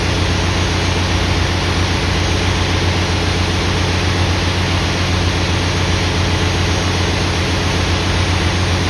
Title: generator misfire